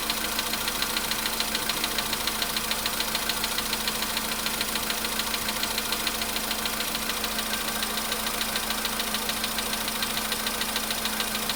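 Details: VW Polo sedan, cold start at idle: a steady, fast ticking knock of about three and a half per second sits clearly over the engine hum. Cause not confirmed.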